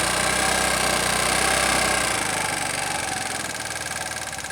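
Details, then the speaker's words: Znen small motorcycle engine with EGR vacuum covered: uneven idle about four pulses a second sags and dies out, with a fuel leak; owner suspects vacuum/EGR line routing, not confirmed. "cover up the egr it eventually dies out and i get the fuel leak"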